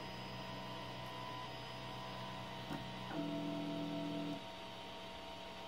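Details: Modded Prusa i3 3D printer running auto home from the menu: a steady electrical hum, then about a second of buzzy stepper whine as the axes home and stop cleanly; the printer works normally.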